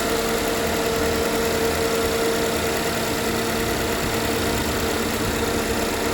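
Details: 2013 GMC Terrain, first start after engine rebuild: even smooth idle with steady hum, no ticking or knocking, no check engine light, oil pressure present; timing appears correct, runs healthy.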